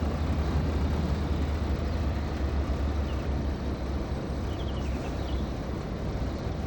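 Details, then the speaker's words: Heat pump outdoor unit entering defrost cycle: steady low hum easing as the compressor slows, believed to reverse and send warm fluid to clear ice from the fins; normal defrost slowdown. "it's slowing down now. It's quite normal."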